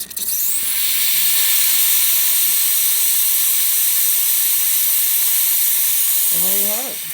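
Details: Breville 900 espresso machine after service (new boiler gaskets, fix for a solenoid valve causing loud noises): steam wand test gives a strong, steady hiss, normal operation.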